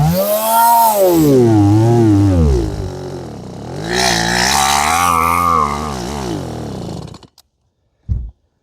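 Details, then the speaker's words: Stihl MS180C chainsaw with throttle held steady: revs swing up and down on their own for several seconds, then cuts out; compression seems fine, fuel starvation suspected (carburetor, fuel filter or fuel hose). "The engine's just kind of, it's able to run. It sounds like the compression's there. It's just speeds up and down whenever it pleases."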